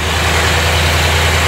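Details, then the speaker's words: 1990 Chevrolet Corvette C4 V8 after valve adjustment and draining water-contaminated oil from earlier blown head gaskets: steady, even idle with smooth low rumble, no knocks, misses or smoke; timing not yet set, possible air pump noise. "She's running pretty good now. Still got to set the timing, but she sounds pretty good."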